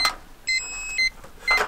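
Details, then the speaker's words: Hubsan H122D drone remote: short high beeps about twice a second, the low-battery warning, also heard from the drone, which starts descending; land immediately. "Il faut savoir que quand j'entends ce bip là, voilà, le drone descend, et là, je me suis pas posé assez vite. Dès l'instant qu'on entend ces bips là, on sait qu'il faut se poser."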